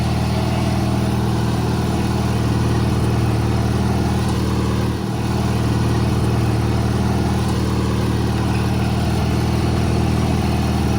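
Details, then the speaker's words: 1985 riding mower small engine, brand new carburetor, running Seafoam to clean carbon: low idle hunting and stumbling about three times a second; rough idle, owner thinks idle speed needs adjusting. "so from what I can tell the seafilm is obviously working as clean the carbon out but it's a brand new carburetor so I think uh just needs idle speed adjusted"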